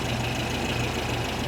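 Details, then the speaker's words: 1973 VW Super Beetle 1760 cc air-cooled engine with dual 40 carbs, loose valves not yet adjusted (number 3 exhaust was super loose), throttle not connected; even, quiet low putter with light valvetrain chatter, no clanging: normal idle. "This sounds good. It's quiet. It's not too loud. Little valve train shatter, but nothing that's not Volkswagen."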